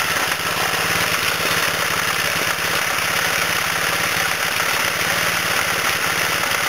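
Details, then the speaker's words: 1989 Briggs & Stratton 3 HP engine after rebuild with new connecting rod and dipper, second start-up: quick, even putter, steady speed with no knocks or misses; runs smooth and healthy. "So, yeah, I did start it up. It runs very quiet."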